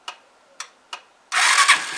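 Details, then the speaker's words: Zontes motorcycle cold start with no choke: three short cranking bursts, then the single catches cleanly and settles into an even run. Sounds much better; it was not starting easily the day before. "let's just see how easy this bad boy starts up uh we'll try no choke for starters oh that sounds much better"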